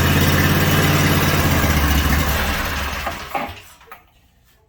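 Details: Briggs & Stratton 18.5 hp V-twin that sat outside 20 years, first fire after cleaning the starter, on an engine stand, carburetors not yet rebuilt: runs steady and even with no clicking or knocking, then winds down smoothly; normal running.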